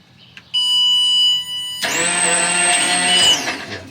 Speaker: i just wanted to make sure each pump was running it sounds like three pumps yeah it sounds pretty loud